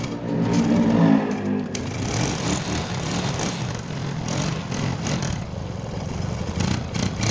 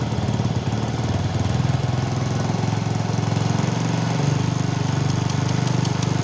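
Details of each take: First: Motorcycle first start after repairing a stripped spark plug thread in the cylinder head: irregular crackling pops over a rough idle, an exhaust leak caused by a loose exhaust clamp whose bolt had been left untightened. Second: Motorcycle after repairing a stripped spark plug thread in the cylinder head without engine removal; an earlier rattle was traced to a loose exhaust clamp bolt. Starts at once and settles into a steady, even low thumping beat with no misses or knocks, running normally.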